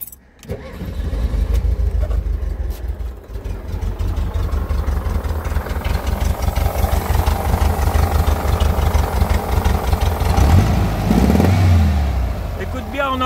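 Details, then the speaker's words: VW Beetle 1303 cabriolet, 1600 injection, air-cooled flat-four: uneven puffing pulse at idle from pressure escaping between cylinders and heads, intake air leak audible at injectors though ECU compensates; suspected compression leak at cylinder head, not confirmed. "on entend vraiment bien de ce côtélà qu'il y a un fuite"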